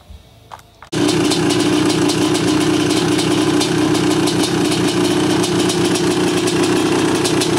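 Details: 1986 Honda CR500R two-stroke, mostly original, unrestored, low hours, described as tight and sound running: catches after a second, then settles into a crisp, even idle with steady beat and no misfires; normal idle.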